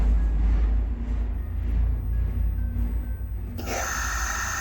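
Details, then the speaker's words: Compressor driven by a Megmeet Mite-series PCB, restarted in quick start mode after the board was reprogrammed: heavy, uneven low rumble with a rough pulsing beat, the same abnormal noise as before. "दोस्तों तो आप देख पा रहे हैं कि कैसे compressor ने वही पहले वाली आवाज करनी शुरू कर दी है"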